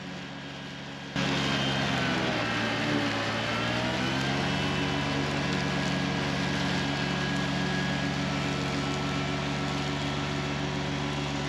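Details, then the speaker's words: Kubota BX1870 diesel with 54-inch mower deck cutting tall weeds on steep hills, left in high gear with heavy rear ballast: steady drone sags noticeably for a couple of seconds, then recovers; engine bogging under load. "Now right here is the only time that I hear the engine bog down cutting these tall weeds."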